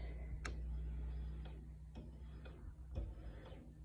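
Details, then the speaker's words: 2007 Yamaha FJR1300 key-on self-diagnostic: sharp clicks about every half second over a steady low hum as the fuel pump cycles on and off five times; normal fuel pump cycling on a bike that won't start cold since wax-valve coolant hoses were replaced. "gas pump on and off five times"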